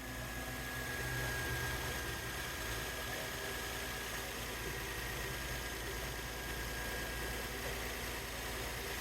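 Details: 2008 Infiniti FX35 V6 at idle, first start after replacing the valve cover gaskets, intake manifold gaskets and camshaft position sensors to fix an oil leak: quiet, steady idle with an even low hum, no ticking, knocking or stumbling; no leaks seen.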